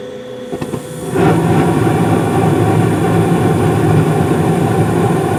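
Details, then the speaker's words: 2016 Carrier gas furnace, five years old with no issues, blower speed raised from medium-low to medium-high; startup gives a couple of sharp clicks, then the burner lights with a soft whoosh into a steady, even roar. Normal startup. "sounds like everything's running great"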